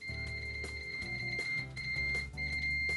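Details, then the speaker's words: ANENG V05B multimeter in continuity mode with stock test leads: a clear, loud high beep, about 78.6 dB maximum, sounds almost instantly on contact and holds with brief dropouts, not the fastest and missing some latches; normal continuity beep. "we are in continuity mode three two one we have that nice visual as well as the audible so not the fastest definitely misses every other latch but it is loud"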